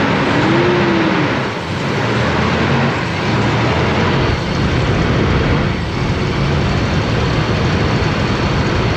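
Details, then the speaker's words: Toyota 4Runner 3.0 V6 after head gaskets, valve adjustment and timing belt, timing not yet properly set. Steady, even running with no stumble amid outdoor noise. It sounds like it's on all six, only slightly smoking for now: normal idle. "all right but she runs sounds like it's on all six yeah it's alive only slightly smoking for the time being"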